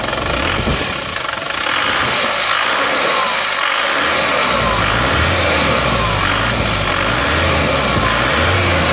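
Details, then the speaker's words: Isuzu Panther pickup diesel after rebuild and injection pump timing advanced: even crisp idle around four beats per second, no miss or knock; still smooth but crisper and slightly harsher, exhaust clean with no smoke. "dengar suaranya Nah suaranya seperti ini dengarkan suaranya tetap halus tapi lebih renyah"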